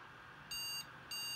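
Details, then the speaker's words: Asus Zenith Extreme motherboard (second board), Threadripper build, RAM added to outer slots per manual: two high-pitched beeps starting the three-beep memory POST error code at power-on; won't boot, though sticks tested good and first two slots boot. "so if I boot up now I'll get the three memory beep codes this is the second zenith extreme motherboard I've had turn it on"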